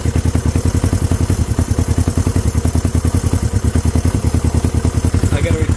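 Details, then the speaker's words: Honda CB350 first start in 13 years after cleaning points: even low pulsing idle at about three beats a second with choke off, steady and unbroken; firing on both cylinders. "running on both with a choke off this thing idling guys"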